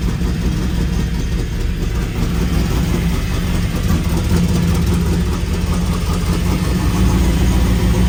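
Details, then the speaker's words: 1995 Pontiac Firebird Formula with a Corvette LT1 swap, after exhaust work: steady deep V8 idle with a faint irregular puffing. Much quieter than before, but a small exhaust leak remains. "all right so it's a lot quieter than it was but it's not perfect it's still got a small exhaust leak"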